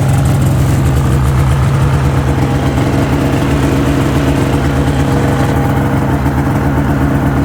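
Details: 2005 Ski-Doo MX-Z Renegade 600 H.O. SDI after fuel pump, pressure regulator and strainer replacement for hard starting; cold start, steady even high warm-up idle, no misses or surging; normal high warm-up idle.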